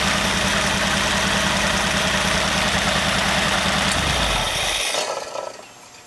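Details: Very old stock Studebaker 259 V8 with AFB carburetor and new Evans intake, restart test: even, steady burble for about four seconds, then shut off cleanly; normal idle.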